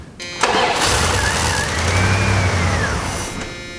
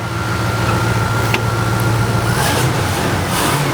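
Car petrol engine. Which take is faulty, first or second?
first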